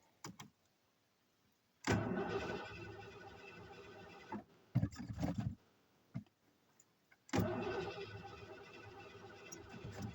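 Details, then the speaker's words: Van with a 460 engine, fuel primed, throttle not stuck: several long bursts of steady cranking with pauses, never catching; crank no start, owner suspects no spark. "Okay, I guess uh have to check spark."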